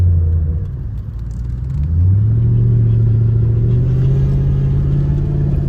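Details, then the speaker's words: Turbo Ford Crown Victoria at about 2500 rpm under light throttle, stock MAF refitted: a faint rising turbo whistle and a little blow-off venting while building boost, below 3 psi. Normal turbo spool. "I hear the turbo. This is like 2500 RPMs. It just blew off a little bit. I ain't even hit I ain't even hit no boost. It was building boost."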